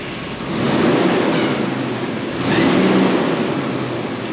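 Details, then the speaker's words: 2002 Chevrolet 2500 8.1L V8, Allison automatic, after tune-up with air filter and plug wires: deep rumble swelling through two throttle blips and settling back, clean with no stumble or miss; power back, oil change still due. "Seems our power's back. So we'll get the oil changed and this thing's ready to go for the year."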